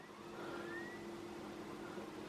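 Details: Original Xbox console bought as spares/repairs, Halo disc with a scratch inserted: quiet whirr with faint rising tone as the disc drive spins up and settles to a steady hum; normal drive loading, console turns out fully working.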